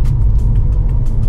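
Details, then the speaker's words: VW Golf V on a test drive after engine and cylinder head rebuild, off the road at least 6 months, camshaft adjustment not yet done: deep, steady rumble under way, smooth and even, nothing irregular. Pulls cleanly, healthy. "je suis reparti il y a 5 minutes pour faire un petit tour dessai pas de bruit bizarre la voiture roule très bien"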